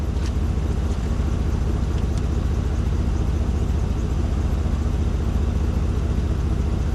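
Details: Old tractor cranking after draining dirty yellow fuel, with the fuel line not yet reconnected to the carburettor: steady low churning, about a turn and a half per second, never firing; cranks but won't start.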